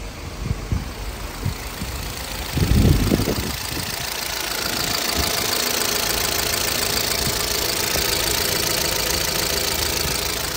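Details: 2012 Chevrolet Cruze LTZ, 229,000 km: steady idle with a quick, light knock about four times a second; mechanic says it also knocks when revved; a cylinder head was already replaced elsewhere without curing it; engine to be opened, cause unconfirmed.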